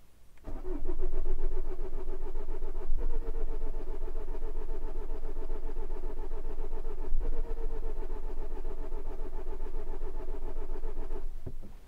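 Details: Vauxhall Corsa D 1.3 CDTi with an intermittent non-start and code P0685, codes cleared and irregular injection pulses seen: the starter churns steadily at about three to four turns a second for ten seconds and it never fires. Cranks but won't start; cause not confirmed.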